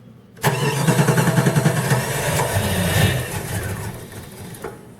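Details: Chrysler 318 (5.2L V8) Jeep ZJ, full-time 4WD, cold start with air below about 50°F after priming the fuel pump 30 seconds: it churns, catches, and stumbles to a rough idle. Fine when warm or above 60°F. Sensors replaced; owner suspects the ECM.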